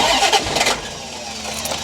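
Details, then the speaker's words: Barn-find C4 Corvette ZR1 after cam sensor testing and new spark plugs, ECU connected: ragged cranking bursts that almost catch, then die. It cranks but won't start; a wrong plug gap and rich running are suspected. "all plugged in oh why is it not trying to fire at all no try it again"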